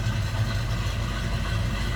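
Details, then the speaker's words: 1955 Chevrolet 3100 stepside street rod, restored three years ago, 350 small block V8 with a mild cam, idling shortly after a cold start: deep, even idle with a slight lumpy rumble, no knocks or misses; normal idle. "mild cam to that 350 good sounding truck little Rumble coming out of that"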